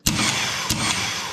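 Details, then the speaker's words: QuickCar race car starter engaging for the first time after a complete rewiring with a Go Lithium 16 volt battery: a sharp hit, then a steady hissing whir for about a second with a second surge. The starter works normally. "Think starter will work? Oh yeah, it'll work."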